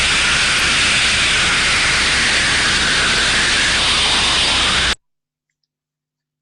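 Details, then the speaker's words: Thermodynamic disc steam trap heard through an ultrasonic probe: loud, constant high hiss with no cycling or pauses as live steam blows straight through; failed trap. "level of turbulence as we were showing in the previous slides blowing through constant constant steam being flown through the trap not good"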